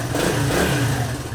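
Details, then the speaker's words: Suzuki DR200 with a new Mikuni jet kit, not yet adjusted, stock pipe (FMF pipe pending), petcock on reserve. The single revs up cleanly and drops back without stumbling or popping; healthy, responsive throttle. "Hey, it actually sounds like it's running okay. It's pretty responsive."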